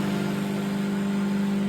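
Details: Microwave test run after repair, heating water: steady, even low hum with fan whirring underneath, no buzzing, arcing or stutter; magnetron running normally.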